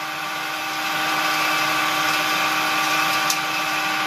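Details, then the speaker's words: Homemade propane-tank ball mill, belt-driven on aligned wheels, marbles as media: steady motor hum over continuous hiss of marbles bouncing and sliding inside; no knocks or binding, running normally. "So you can hear the marbles bouncing around in there and sliding."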